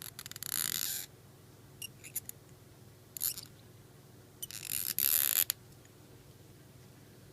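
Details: Tigris Premier 2 euro cylinder thumb-turn, after reassembly set to turn one way only: short bursts of crisp, rapid metallic ratchet clicks when twisted. Thumb-turn ratchet clicking.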